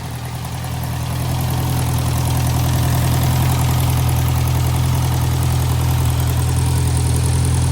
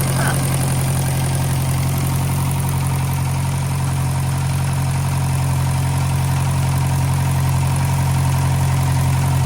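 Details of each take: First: 1956 French-built Massey Harris Pony 812 tractor, Simca 9 gasoline engine, after fuel pump rebuild: steady low even idle at about 200 firing pulses a minute, no misses or knocks; no fuel leak, good oil pressure, charging. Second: 1956 French-built Massey Harris Pony 812 tractor, Simca 9 gasoline engine, idling after fuel pump rebuild: steady low idle with faint rapid ticking puff on each firing; small exhaust leak noticed.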